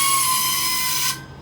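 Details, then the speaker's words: Walk-in box refrigeration unit with dead ECM condenser fan motors; compressor gives a sharp steady hiss with a thin high tone for about a second, then cuts off. Compressor blowing its internal relief valve, bypassing. "bypassing that was the uh what that sound was was a compressor blowing its internal relief"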